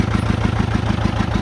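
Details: 1959 John Deere 830 Industrial diesel tractor, started with its gasoline pony motor after oil change and fuel-leak fix: steady, evenly spaced idle throb with no misses or knocks; healthy running.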